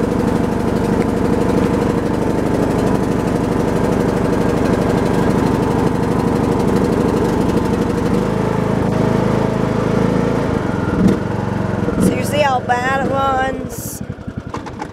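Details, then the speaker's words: Briggs & Stratton Intek 17.5 HP lawn tractor engine, before carburetor cleaning: uneven hunting single-cylinder thump that stumbles and sputters before dying away; idles terribly and runs rough; owner doubts carb cleaning will fix it. "it's not bad something all the time it lasts inside loud but it's definitely so tough idols terribly"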